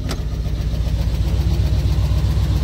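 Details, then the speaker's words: Truck with a crank position sensor code, running poorly, before sensor replacement: starts a little hard, then a low, pulsing, shaky idle that rocks unevenly; rough idle from crank position sensor fault. "It runs right now, just it should run a lot better than it does. Nope. And it starts a little hard there too, as you could probably hear."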